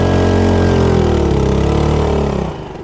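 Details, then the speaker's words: 2.3–2.5hp air-cooled petrol outboard with centrifugal clutch, no underwater exhaust, on an F275 RIB, held flat out then eased off: loud, hard buzzing drone falling away as throttle eases; noisy at full throttle but normal, acceptable when cruising. "Frankly, I can't even hear myself talk at that speed, so it is really quite noisy when you're flat out, whereas when you're cruising, it's perfectly acceptable."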